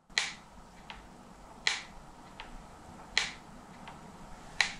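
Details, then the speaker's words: New 2022 Trek Remedy 8 XT mountain bike: sharp crisp crack about every second and a half as front end is loaded, not from the cables; a headset fault suspected. "Czy to są te linki nie to jakby gdzieś tutaj w ramię strzela złapanie linek nic nie daje czyli chyba coś jest nie tak ze stelami"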